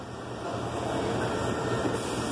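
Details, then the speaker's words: Old drill press with a failed gearbox (shredded gear; a hum when running, and the owner reported a clacking when switched off): the motor alone runs with a steady, even hum and no knocking or grinding. The motor functions fine. "There's the motor. The motor functions fine."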